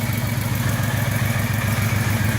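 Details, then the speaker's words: 1978 Scirocco with swapped 24v 2.8 VR6, restarted after cooling: rough pulsing idle exhaust beat with faint whir on top; noise suspected from the accessory drive belt area, cause not found. "sleek and then that accessory drive belt over there whatever that is"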